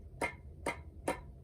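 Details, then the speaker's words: Chef's knife rocked on cutting board: three sharp clicks as heel slaps the board due to recurve from improper sharpening; a properly curved edge makes no click. "And also, if I rock it, you can feel it hit. It doesn't curve nicely all the way down, and you can hear that click."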